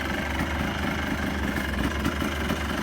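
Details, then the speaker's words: 2001 Yamaha Blaster two-stroke, running after its clogged main and pilot jets were cleaned following years of sitting: steady, even idle with a light buzzy burble, no misses or surging; idles smoothly. "so there you have it guys sounds pretty good to me so here she is running my 2001 yamaha blaster my keys sounds good"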